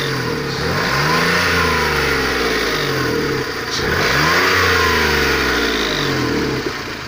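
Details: Faint high whistle over the engine as revs sweep up and down twice, appearing under throttle between 2500 and 3000 rpm; source unclear, owner asking for a solution. Whistle under acceleration.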